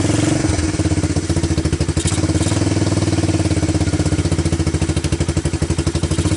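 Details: Honda TRX250 ATV single-cylinder after diesel-contaminated fuel was dumped and fuel fed from a bottle, choke on: catches after a brief crank, settles into steady even thump around fourteen beats a second; normal idle, though starter doesn't sound great.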